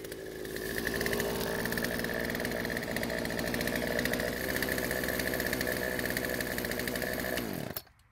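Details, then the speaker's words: Poulan chainsaw after draining old fuel, fresh mix, chain tension set and light sharpening. Steady high two-stroke buzz under load through the cut, even and strong, dropping off cleanly. Healthy running and cutting. "surprisingly besides needing to adjust the idle speed to keep the chain from moving while off the trigger it seems to be running and cutting just fine"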